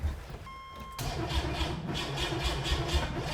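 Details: Rebuilt junkyard 4.3 V6 in turbo AWD S10, first start attempt after rebuild, primed oil, fresh fluids: brief chime, then starter spins engine evenly and fairly quickly for two seconds without catching. Cranks, no start; timing issues later found.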